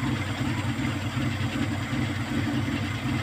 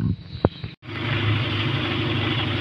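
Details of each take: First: Kia Pride at idle before repair: uneven idle with occasional stumble and loping beat; misfire from a number 4 high-tension wire that the current burnt through, due for replacement. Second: Kia Pride after cleaning carbon from the burnt high-tension wire and spark plug, which caused the misfire; wire still due for replacement: steady, even idle with no stumbles or misses, now running smoothly.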